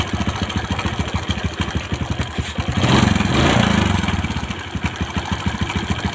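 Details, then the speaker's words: Small motorcycle after a cam chain tensioner tightening trick: uneven idle at about three beats a second with a light ticking rattle, quieter than before; hard idle and starting; cam chain tensioner hardened or cracked suspected. "ada suara kricik kricik kricik itu biasanya di bagian acre tensionernya itu sudah mengeras atau sudah pecah-pecah biasa"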